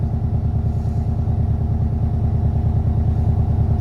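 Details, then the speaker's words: Subaru at idle after swapping old coil packs for new OEM STI coil packs and one-step-colder plugs to fix spark breakup and knock: low, steady, even pulse with no stumbles; smooth, settled idle, audibly smoother than before. "right off the bat it sounds smoother like I don't even know if you guys can tell right off the bat it already sounds"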